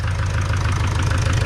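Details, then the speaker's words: Opel Vivaro / Renault Trafic 2.0 CDTI diesel at idle: steady fast hollow knock riding the engine beat; swapping injectors 3 and 4 changed nothing, piston slap from piston skirt in cylinder suspected, unconfirmed. "так что будем доставать вело быстрее всего шоу поршень юбка поршня поршень болтать их цилиндре"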